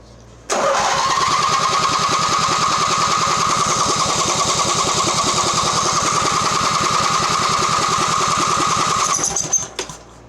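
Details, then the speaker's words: Mastercraft (MTD) riding mower Briggs engine, premix poured down carburetor, no exhaust fitted: steady cranking about three and a half beats a second for eight seconds, never catching; no start, spark tester shows weak intermittent spark. "Okay, let's check for spark again. Fancy spark tester. That has an intermittent spark. Alright, so we had a bit of a intermittent spark there. It was really weak."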